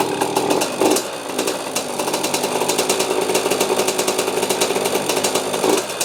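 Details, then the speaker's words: 2003 KTM 50 Mini Adventure 50cc two-stroke, oil-injected but previous owner also premixed, just after carb cleaning with fresh gas: uneven surging idle rising and sagging, about to die, sounds fuel-starved; still smokes when it dies. Won't stay running. "Doesn't want to stay running though. [Music] Still sounds like it's starving for fuel. Maybe it just needs to be cleaned out."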